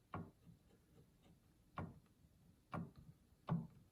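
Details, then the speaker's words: Yamaha G5 piano action removed and on a table: dry woody clicks, four in about four seconds, one per key release. Suspected to be the jack moving against the spoon; not confirmed. "That one definitely makes some noise. And this is just moving, the jack against the spoon."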